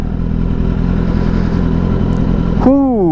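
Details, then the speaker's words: 2023 Kawasaki ZX10R, repaired after an accident, warm after riding to the fuel pump: even, muffled running with no clatter and a clean blip; the clatter was only at cold start, now normal. "elle a moins de bruit elle est beaucoup plus feutrée en terme de bruit donc c'était vraiment un démarrage à froid qui claquait et là maintenant que ça a chauffé c'est mieux pour la ville"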